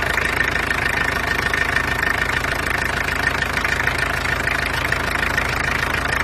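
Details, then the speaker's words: Peugeot 404 pickup XD2 diesel idling: steady, fast, even diesel clatter, noisy but smooth and running nicely; normal diesel running. "as you can hear it's quite noisy but anyway it goes nicely so i'm satisfied with that"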